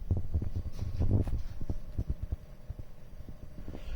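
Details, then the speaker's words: New Samsung French door refrigerator during its cycle: uneven light clicks about three a second over low hum, the compressor's copper tubing vibrating against its foam pad; stops when the pad is pressed. "well i've identified it right down here there's your compressor see that copper is vibrating and if i put my finger on that foam pad right here it stops"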